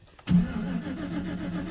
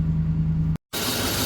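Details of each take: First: 2011 GMC Sierra, no-crank after a fuse was pulled over backup lights staying on: starter spins engine evenly but it never fires, no fuel pump prime hum beforehand; RPM signal present, suspected fuse panel fault. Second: 2011 GMC Sierra after no-crank, with green-corroded run/crank relay and suspect fuse panel: engine finally starts, steady low even idle with no misses or knocks; normal idle.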